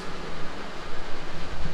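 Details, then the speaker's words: Ford Ranger after passenger-side valve cover and spark plug work, loose rear plug fixed: low even quiet idle with no ticking or tapping; runs smooth, no weird noises. "it's nice and quiet now i don't hear any weird noises yeah it sounds nice this thing sounds good awesome runs nice and smooth it's nice and quiet"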